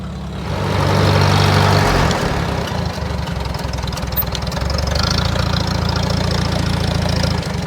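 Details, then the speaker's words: 1947 Farmall A, warmed up after its ignition switch was left on overnight: firm steady beat after an early surge, a bit flat and thin; owner thinks the carburetor jet needs turning up, running lean. "Kind of sounds like I need to turn my jet up a little bit."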